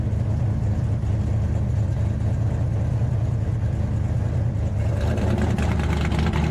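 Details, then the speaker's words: 1968 Dodge Charger with a Hemi V8, back on the road: a deep, lumpy burble holding steady at idle, then picking up with revs, with no knocks, misses or leaks. "and again try and tell me that don't sound badass that sounds like Jack Daniels and chest fur with a cigar hanging out of your mouth"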